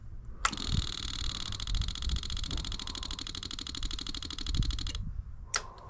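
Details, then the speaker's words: 1984 Yamaha Virago 1000, after refitting old floats and float needles to the carburetor: fuel pump ticks rapidly about four and a half seconds then cuts off cleanly as it pressures up; no flooding or leaking, normal priming. "Look at that. It's pressured up. It's not leaking. It's not leaking out the here at all."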